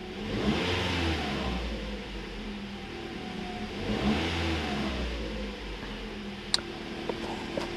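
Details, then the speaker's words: 2014 Toyota Corolla with 120,000 miles, after a coil-related misfire fix for a rough idle: engine revs up twice and settles back, smooth and even with no stumble, zero misfire counts; check engine light still on. "let's fire it up oh man this thing is running so much smoother now still has the check engine lights which is fine"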